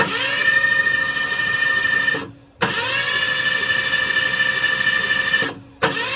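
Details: Ford Cortina Mk4 Ghia estate, 2.3 V6, under restoration, first start attempt with fuel lines, starter motor, spark plugs and reused coil: two steady high starter whines of about two seconds each, cranking with no firing; the engine never catches.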